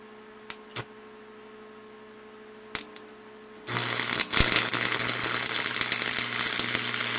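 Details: Lincoln tombstone transformer welder found discarded roadside, fitted with new stinger and a random ground clamp: quiet transformer hum and fan, a few taps, then arc strikes into steady even crackle and sizzle with 6011 rod; welder running normally.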